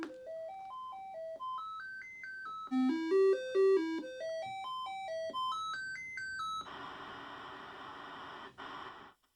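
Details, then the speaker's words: Commodore 128D sound chip test tones during the C128 factory diagnostic (modified version that skips harness-dependent tests): clean stepped tones climbing and falling in even runs, then a steady hiss burst; sound chip working properly. "right see it sounds good everything else looks good"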